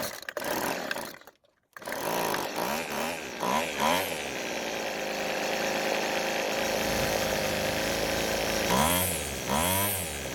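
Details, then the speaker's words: Weed Eater brand two-stroke string trimmer, rebuilt, warm; idle screw turned back clockwise after being set too low and stalling, then it restarts into a smooth, even buzz with no hunting or misfire and runs really well. "so the engine is running really well but the only thing left now is to let the engine cool down and do a cold start"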